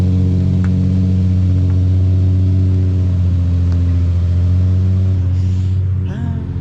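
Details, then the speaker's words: 2007 Nissan 350Z HR (VQ V6) with single cat-back exhaust, oil good: steady, even low hum settling into cold idle with smooth unchanging rhythm, no knocks or ticks; engine sounds solid. "Oil's good. Hear the cold start."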